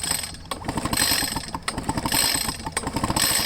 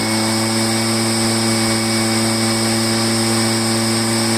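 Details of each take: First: Echo PB500H two-stroke blower, wet fuel-smelling spark plug: uneven pull-starting bursts about one a second, quick chuffing compression pulses that never catch; flooded engine won't fire. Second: Echo PB500H two-stroke blower after a no-start, flooding from a poor aftermarket carburetor and a kinked fuel line fixed, primed; steady, even high-pitched drone at throttle with no surging or misfires: normal running.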